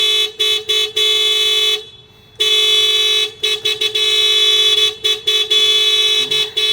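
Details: Unfinished project car with a dead battery, on a jump pack after a loose connector was refitted: loud two-tone alarm horn blaring in bursts with short gaps, cycling repeatedly while the car refuses to start.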